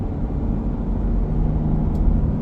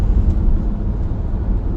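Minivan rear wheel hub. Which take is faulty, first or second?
first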